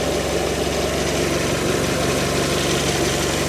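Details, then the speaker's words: 2017 Fiat 500 Sport Cat N salvage car, original battery that arrived completely flat: steady, even idle with a smooth low beat, no knocks or misses; engine running sweet and healthy. "Engine's running sweet, as you can hear. We'll have to take this battery out and get it charged up overnight and hope it holds the charge."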